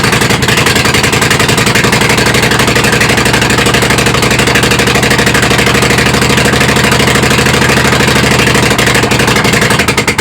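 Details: Kohler Command CH18-CH25 V-twin on a tractor, just fitted with a replacement carb plus throttle stop: loud, choppy idle around three pulses a second, uneven; still rough idle, rich running suspected.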